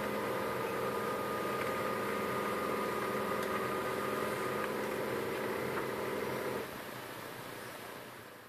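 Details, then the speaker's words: HP LaserJet 1010 after gearbox noise repair, printing a test page: even mechanical whir with soft regular tick, no grinding or clatter, winding down at the end; printer now runs quietly. "as you can hear, printer has no noise this time."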